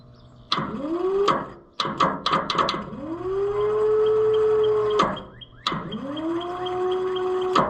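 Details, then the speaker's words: Oliver 1355 tractor starter after battery charging: three bursts of rising whine settling into a steady howl with no engine turning over; owner first suspected low battery juice, starter drive possibly sticking, not confirmed. "Doesn't sound like we're getting enough juice. And that's what I thought last time."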